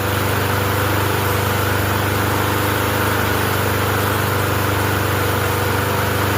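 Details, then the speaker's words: Murray 20" push mower with a 4.5 hp Briggs & Stratton engine, running after a no-start fix and still burning oil residue off the muffler: steady even running with a light buzzing rattle from a loose galvanized nail in it. "And I kept wondering I was like, what's the rattling? It's from when they put this little galvanized nail of some sort in here. So, it's rattling."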